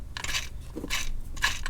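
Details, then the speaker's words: Idler pulley off the serpentine belt, spun by hand with the belt tension released: short gritty, crunchy rasps from a worn bearing. A new pulley spun the same way is silent. "you can see this is off and this is the one that is going bad i don't know if you guys can hear that here's got that super gritty sound"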